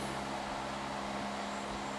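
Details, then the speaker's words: Macintosh SE/30 booting with a substitute 40 MB Quantum drive from a Macintosh Classic after the startup chime: steady whirring hum with faint even tone as the hard drive spins up and works; normal spin-up. "Hard drive is going nuts, and oh my god."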